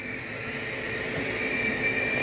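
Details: Flagstaff 832IKSB RV bedroom slide-out retracting: steady electric motor whir with even high hum at constant pitch; slide room retracts smoothly and sounds healthy.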